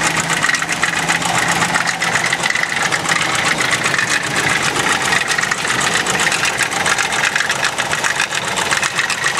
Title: RED ford knocking noise